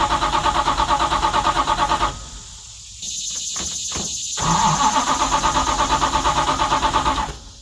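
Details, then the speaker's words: 1970 Dodge Charger "Jezebel", 640hp Mopar stroker with four-speed transmission still separated, revived after sitting long, fresh battery: strong, even cranking with steady compression pulses, never fires. Tank found empty; crank, no start, no fuel. "Well, I was fairly certain that Jezebel had gas in her, but I rang the tank and it said no one's home."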